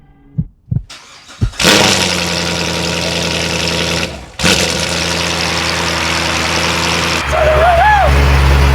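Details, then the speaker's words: C7 Corvette Grand Sport, 78,000 miles, jump-started after sitting with oil not yet returned to the tank: starter cranks briefly, then a steady even idle with no knocking or seizing; it started beautifully without locking up. "That didn't lock up. That started beautifully."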